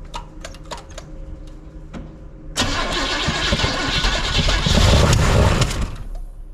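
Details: 1971 Chevrolet C10 on first start attempt with fresh cam, temporary fuel line, after a starter wire fix: starter churns about four beats a second, then a louder rough burst that never runs; cranks, won't fire, fuel delivery doubted.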